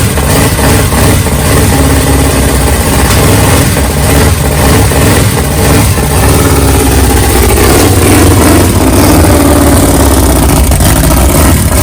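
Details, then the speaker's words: Big-cam 454 Chevy big block on an engine stand, early start with no tuning, for a rat rod: loud uneven lumpy idle with loping beats and occasional rev blips; camera mic may exaggerate knock. "it makes it sound more like it's got a rod knock and then it's got a lope but when you're listening to it stand there beside it it sounds good"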